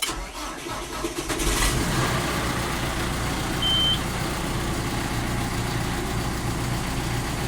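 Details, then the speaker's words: 2013 John Deere 6115D tractor diesel, cold start at about 60-something degrees outside: brief crank, catches within about a second and settles into an even, steady rumble; starts promptly. "Gonna do a cold start on the 6115D. Hopefully we'll start."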